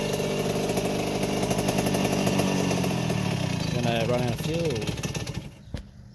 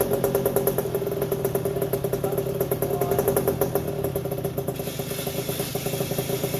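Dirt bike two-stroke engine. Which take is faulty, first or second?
second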